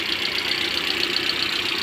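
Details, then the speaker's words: Hyundai ix35 G4NA after rebuild (rebored, oil squirters fitted, coated bearings, new iridium plugs) on its first start. Steady idle with a light, even injector tick and no knock; oil pressure good. Normal idle. "запуск двигателя работает чудно давление масла"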